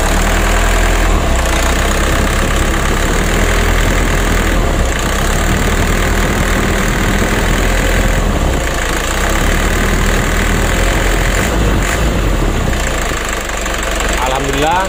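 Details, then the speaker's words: Mitsubishi 120 PS Ragasa diesel truck, previously limping and shaking cabin when warm, after injector nozzle service and Bosch pump plunger adjustment: steady rumble rising and falling cleanly with light-to-medium throttle; shaking greatly reduced, slight adjustment remaining. "guncangan mesin sudah lumayan kurang teman-teman ya nah begitu kita Gas pelan sampai menengah kita usahakan tidak goyang parah seperti awalnya ini sudah berkurang sangat banyak sekali"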